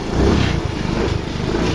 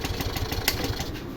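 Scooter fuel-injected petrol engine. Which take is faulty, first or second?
second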